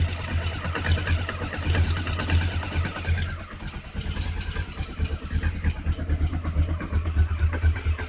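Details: Honda CB500 idling cold: uneven low thumping with rapid ticking chatter over the exhaust beat; abnormal cold-engine noise, cause not pinned down.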